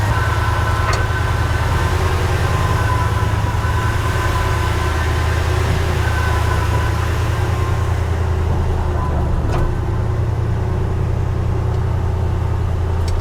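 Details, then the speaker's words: 1968 Ford F100, 360ci V8, 4-speed, after replacing cracked spark plugs (Autolite 45) whose boots were arcing with a ticking spark sound: engine fires right up and settles into a smooth, even idle, ticking gone; normal idle. "Kind of hard to hear, but before we were having that spark happen in here, and it's not spark, you know, it was a ticking sound, right? And we're not getting that sound anymore."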